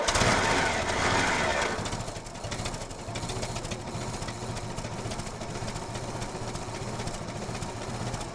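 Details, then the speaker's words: 1962 International Harvester 2404 tractor, sat since 2020, just restarted after fuel line fitting replaced: uneven spitting idle, about four pops a second, occasional stumbles; owner suspects plugs need changing and very old gas. "All right, running decent, still spitting and sputtering a little bit, but I think the plugs need change, and the gas is probably older than me."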